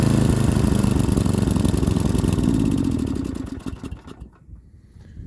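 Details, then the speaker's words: Small single-cylinder parts machine during winter cold starts: uneven chugging for a few seconds, then stumbles and dies; rough running, owner says it needs a new carburetor. "there we go it does run it definitely needs a new China carburetor"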